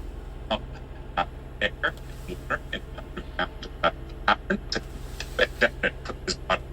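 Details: 2009 Toyota Sienna XLE, 166,000 miles, JBL stereo, cold-morning high idle: music cuts in and out in short choppy bursts about once a second over a low idle hum; skipping caused by the DVD player.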